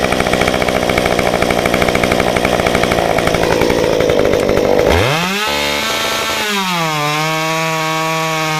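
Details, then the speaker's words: Modified Stihl 193T climbing saw (muffler mod, ~8–9° timing advance, limiters removed, 93 non-E fuel, 16-inch bar, PS3 .050 full-chisel chain) cutting a log: rattly loaded buzz while cutting, then frees up to clean steady high rev; healthy. "But anyway, I'm going to run it for you and do a cut in the log."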